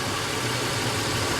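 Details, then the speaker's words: 2006 Chrysler Pacifica at about 70,000 miles, codes P2308 (coil 3 secondary, insufficient ionization) and P0303. Rough, uneven idle with a faint stumble: cylinder 3 misfiring with coil control at about 7 volts. A jumper wire cures it, so the coil wire is likely cut or shorted. "There is computer control. I still have a misfire."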